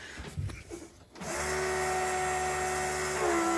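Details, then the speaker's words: Dodge Daytona stock car with a cobbled-together engine just reinstalled, fuel valve opened and possibly stale gas, fuel pump run by button into a jug before connecting the rail: steady constant-pitch electric hum after a short pause; pump moving fuel normally. "Oh, there it goes. She's moving fuel."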